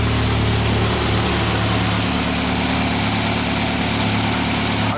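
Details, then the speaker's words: Built Mitsubishi Evo X SST with a PT 6466 turbo, dual valve springs and very high-lift cams, at idle: a light, constant top-end tappy tick over the exhaust burble, which the owner says is normal for this valve train. He is also unsure whether there is an exhaust leak. "now the top end on this engine is always going to be noisy because we're running dual valve springs and very high lift cams if I was highly you can get away with on this engine so they are always a bit tappy it's um yeah it sounds sounds as it should do on the valve train that we're running"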